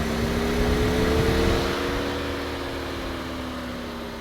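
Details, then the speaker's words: Porsche Cayenne V6 diesel during a diagnostic actuator test, after a DPF cleaning and a no-power complaint: the radiator fan control unit is activated. A steady, smooth whirring hum with no scraping shows fan two running normally at low speed. "next one will be the actual um fan control unit should come on yep fans working fan number two come on stand number one fan number two low speed"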